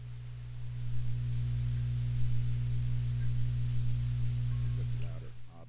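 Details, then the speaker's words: Amplifier hum: a steady low mains-type hum under everything, heard with all tone controls and the channel volume down (Channel B unused). The owner suspects a power-supply capacitor but is unsure; the cause is unconfirmed. "I didn't use Channel B so it does the same thing though because you can hear the hum right now when the when the channel volume is down"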